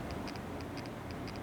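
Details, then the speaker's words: Hotel room True Alert remote alarm speaker, mounted beside a capped sprinkler, makes sharp, light, high-pitched ticks in repeating clusters about twice a second in a quiet room. "over here is a capped off sprinkler and a true alert remote speaker which is making a really weird noise I don't know if you can hear"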